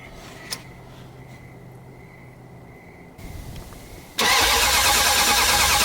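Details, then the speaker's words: '78 Dodge Power Wagon with a 383 V8, sitting over 10 years, fuel poured down the choke: steady starter cranking at about three beats a second, never catches; owner suspects distributor position, coil ground or ignition module. "okay could be a lot of reasons why it's not firing might have the distributor out could be a ground issue with the coil could be mission module here"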